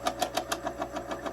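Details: Insignia NS-IMN44BS4 nugget ice maker, cover removed near the auger: sharp, even knocks about six or seven per second over a quiet motor hum; knock quietens when pressed, traced to a loose gear motor.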